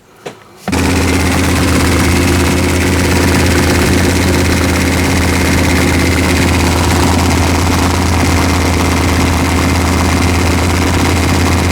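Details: Engine with forged pistons, run-in start warming toward 155°F: loud, uneven lumpy idle with a rough underlying tap that doesn't fade when warm; suspected knock from a crank journal, bearings 3 and 4 loose.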